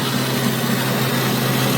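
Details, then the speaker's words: Breville BOV950BST Joule Smart Countertop Oven Air Fryer Pro, new unit whose door also did not close fully at setup: loud, steady drone with constant low hum and airy rush, unchanging pitch; owner says this noise cannot be normal, cause unknown. "I just figured out that when you pull this, there is metal magnets right there that pull it out on the third shelf. So when you pull it out, it pulls it out halfway. How great is that? This noise cannot be normal."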